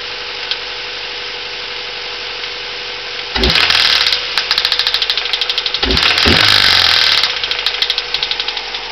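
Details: Honda Civic EM1 Si petrol engine idling with a hard, regular rod knock that grows louder and sharper when revved; cause was chewed-up big end bearings, piston possibly tapping the spark plug; engine replaced with a CR-V VTEC.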